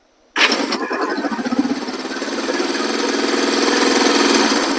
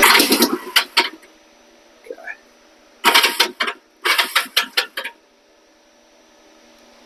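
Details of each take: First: Vintage 1973 Honda CL/CB350 twin after a starter clutch rebuild: quick clean crank, catches at once and settles into an even idle. The previous starter rattling noise is gone. Normal electric start. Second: 1973 Honda CL350 cranking with a failing starter clutch on the flywheel behind the side cover: short bursts of harsh metallic rattling, just spinning and grabbing a little without starting. Worn starter clutch springs; the starter clutch is to be replaced.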